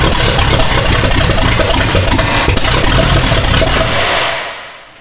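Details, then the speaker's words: Austin's Buick first start on replacement distributor, which solved the problems: loud steady rumble holds evenly a few seconds then dies away; sounds pretty good, timing possibly needs more adjustment. "Actually pretty not bad. I don't know if we need timing more somewhere else."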